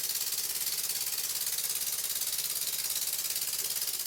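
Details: Twin-cylinder Birmingham Dribbler model engine, running in freshly lapped port faces with plenty of oil: quick, even hiss-chuffs two to three a second, no knocks or uneven beats; runs sweetly.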